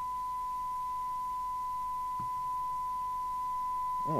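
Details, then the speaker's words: 1981 Uniden-made Audioline 340 UK FM CB radio on test: the receive test tone comes through harsh and buzzy, not clean, because the badly tampered IF alignment is far out; IF alignment to be done first. "well it still sounds awful right we'll go for a tuneup then"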